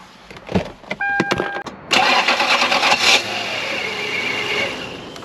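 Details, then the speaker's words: Toyota Land Cruiser 4.7 V8, microphone under the hood at start-up: harsh, rough grinding and whirring while cranking before the engine catches; failing starter motor, which sits under the intake manifold and needs replacing. "did you hear that so that noise is the starter see so all I have to do is replace the starter right"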